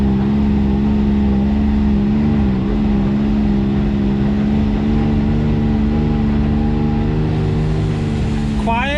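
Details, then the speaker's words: BMW X3 driving after carrier bearing replacement: steady, even hum that holds its pitch with no whine, growl or clunk; the earlier carrier bearing noise is gone, normal driveline. "sounds good sounds like it's fixed go down the road real quick let's get down the road so the carrier bearing is replaced uh no more noise everything is fixed"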